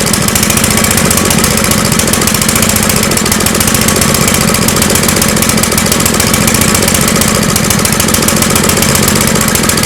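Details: Small engine running on a homemade tri-fuel conversion kit; fast, uneven chuffing with a ragged, hunting beat and no steady rhythm: rough running, seemingly fuel-starved. Owner suspects the hose's tiny inner diameter restricts flow; unconfirmed.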